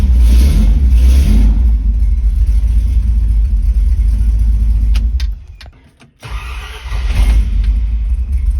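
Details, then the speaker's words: Ford Torino with headers, after fitting a new mini starter: strong even run, brief cut, then engine fires at once and settles to a steady idle, no choke used; normal start. "So, first impressions of that starter are pretty good. It has no problem cranking the engine over, and I'm really looking forward to using it in the future."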